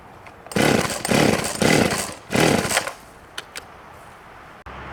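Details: 1989 Husqvarna 50 chainsaw, sat years with old gas, after carb clean: fires and revs in strong bursts, blipping crisp and clean between throttle openings, then drops off; healthy running.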